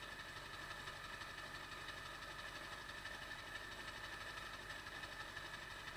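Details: 1999 Ford F-350 Power Stroke diesel, cold start after replacing the ICP sensor; quiet idle clatter with an irregular stumble every so often; the rough idle hiccup persists after the ICP swap, cause not pinned down.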